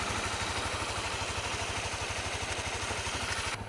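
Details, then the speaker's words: Honda CRF250L with EJK fuel controller; random knock only in first minutes of riding, at idle with clutch in or out, fades after about 3 minutes; rapid metallic clatter about three a second, seemingly top end; cause unconfirmed. "it doesn't sound too pretty so it worries me it's definitely coming well it seems to from the top end of the engine"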